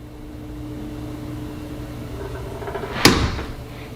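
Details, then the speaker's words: House door swinging after WD-40 on one side of the hinges only: faint, drawn-out creak left from the spring hinges, then a sharp thud as it shuts. "We've gone from this to just a little noise from the spring hinges, and we've only done one side of the hinges so far."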